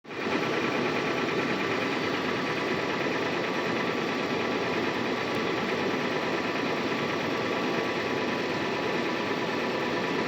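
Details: 2016 Toyota 4Runner petrol engine knocking loudly at idle and lower rpm, a fast, steady, diesel-like clatter that never lets up; cause unknown.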